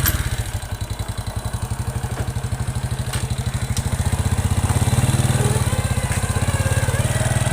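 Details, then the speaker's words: Honda Revo motorcycle, worn piston also ticking: engine thumping about three times a second with a faint whining hum rising with revs; whine from the clutch primary gear. "Saat dioper gigi ada suara menjerit, menangis, mendengung. I itu keluhannya ada di lonceng gandanya ya."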